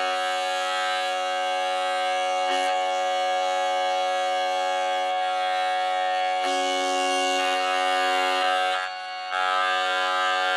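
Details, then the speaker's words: Jensen V21 Leslie upper driver playing a steady held tone through the horn with a rough bumblebee-like buzz underneath; worn compression driver diaphragm, buzz persists even after adjustment, driver unusable. "now you're a tritone there but I want you to hear the buzz underneath that kind of like a bumblebee buzz"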